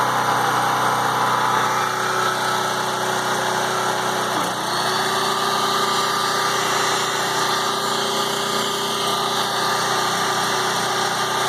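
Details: PowerIt 3800 W 4-cycle generator, 7 hp gasoline engine, idling after over half a year in storage and starting without issues: steady small-engine drone, constant pitch, no misses or knocks; healthy idle.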